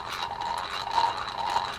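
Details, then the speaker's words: A fishing reel makes a gritty, pulsing grinding buzz that rises and falls with each handle turn, with excessive vibration. The most likely cause is a worn main gear or pinion gear, possibly a bearing; this is not confirmed. "that issue there is going to be one of two things it's going to be a worn main gear or opinion gear that's the most likely one or it's possible that it is just the bearing"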